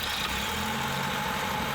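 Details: Rare classic car with a small four-cylinder, running on a jump pack after new spark plugs and HT leads, while the engine bay is washed: steady, even idle with no stumble or knock; normal idle.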